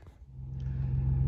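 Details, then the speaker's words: 2005 Ford Mustang V6 after alternator replacement, started with a jump box: it catches after a second and settles into a steady, even low idle with no stumble. Runs perfectly; the alternator was the fault. "Just started it up, put my little jump box on it. Took a second to start up. And now it's idling perfect, driving perfect."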